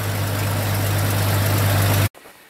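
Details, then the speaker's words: Jeep exhaust pipe broken in half, patched with a soup can and two hose clamps; after repair the engine idles steady and even with a deep smooth hum, no ticking or puffing, as before it broke. "sounds good that's exactly how it was before it broke that's it"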